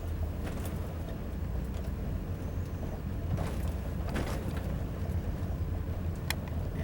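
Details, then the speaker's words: Car test drive slowly over speed bumps, windows up: hollow thumps and a loose, echoing rattle from the front end each bump, from worn-out front struts; sway bar links and bushings already replaced. "You hear that rough echo sound? And that's coming from the bad struts up front. It should be nice and quiet. It almost sounds like something is loose up here. And it's because the strut is so gone."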